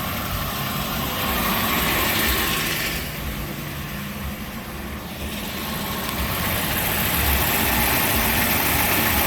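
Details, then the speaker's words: 1988 Buick LeSabre 3800 idling with accessory belts removed: regular knock nearly four per second persists; points to failing crankshaft pulley/harmonic balancer (vibration dampener). "And I can still hear the noise. So I would believe it's that crankshaft pulley."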